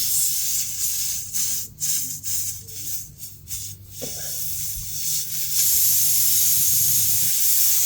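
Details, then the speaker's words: Car tire, flat from a long screw: sharp hiss in bursts then a steady rush as air escapes through the small puncture after the screw is pulled, before plugging. Tire air leak. "I can hear it starting to leak."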